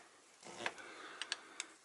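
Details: Truck "Big Blue" in the shop, air brakes: S-cam turned with a wrench to mimic brake application. A few sharp, light clicks at uneven intervals as it turns; the slack adjuster's ratchet is stepping normally.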